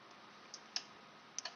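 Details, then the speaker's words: 12-volt solenoid in an electronic CO2 regulator (carbon doser), powered directly on the bench: a few crisp, light clicks at irregular moments in a quiet room as it actuates properly; membrane works. "I don't know guys if you can hear it but I can hear clicks"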